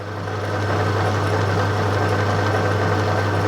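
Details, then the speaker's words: Plugged-in motor after refitting the belt and clearing loose items that caused rattles. Steady, low, even hum with no rattle, knock or scraping: the rattle is gone and it runs smoothly and quietly. "excellent that's proper quiet oh brilliant"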